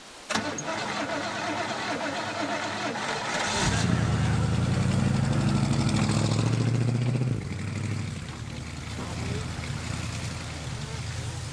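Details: Homebuilt vintage junker rally car on a rally run. Long rhythmic cranking at about four turns a second, with uneven catching and a rough surge before it stumbles: hard cranking, like a flooded engine struggling.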